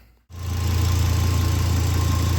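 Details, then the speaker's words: 2006 Volvo XC70 (P2) after random cylinder 3 and 5 misfire codes, with oil found on top of the engine under investigation: even, steady low idle with a smooth pulse and no skips; it is running well for now. "all's running well for right now"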